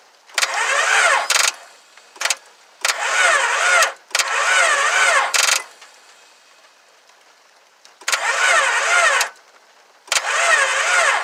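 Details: 2000 Honda Accord that won't start: several bursts of steady starter cranking, engine spinning evenly but never catching; owner suspects timing, hopes the engine isn't blown.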